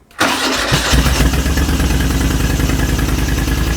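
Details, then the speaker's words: 1980 Moto Guzzi Le Mans Mk2 850cc V-twin, restored, about 20,600 miles, cold start with both fuel taps on and a little choke: starter spins briefly, engine catches at once and settles into a steady, even idle. Normal cold start. "Beautiful. Turn that off before it runs out of fuel. But how good does that sound, folks? How good does that sound?"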